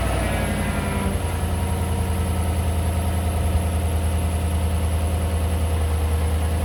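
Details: John Deere tractor that died earlier, started after the oil was drained and checked before dropping the pan: steady, even low rumble with no knock or tick; normal idle.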